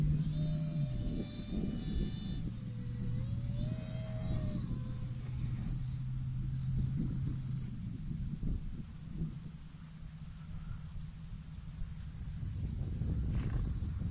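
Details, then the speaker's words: FT Freedom Fox V2 RC plane, second flight about 8 minutes after the maiden, cool breezy morning: a thin motor whine wavers over heavy wind, then drops out near eight seconds. The ESC overheated, caught fire and went into thermal shutdown; the motor was not hot. "my motor 's gone the ESC blue I think hold on let's see what's going on"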